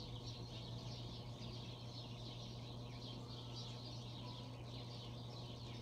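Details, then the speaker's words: Bronson Exhauster fan (International Oil Burner Co, Universal Electric motor, probably 1960s) after oiling the front bearing and oil ports, about 31°F cold: steady low hum under an airy rush, spinning more freely and holding speed better than before. "it seems to be getting going a little better than it was before that's for sure yeah we guys has a bit of a humming noise"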